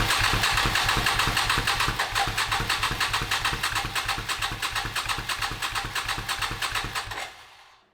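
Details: 37-year-old Suzuki Intruder 1400 motorcycle, first start attempt after over five years sitting: starter spins the engine in a fast, even chug for about seven seconds, slowing, no firing; owner later suspected a dead fuel pump.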